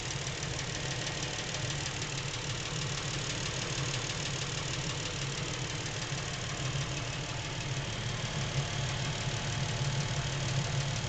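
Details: Lincoln MKX with 7,000 miles, knocking since new and worsening; quiet idle with faint uneven knock about three per second from back of the motor, away from cam phasers and chains; dealer could not hear it, source not pinned down.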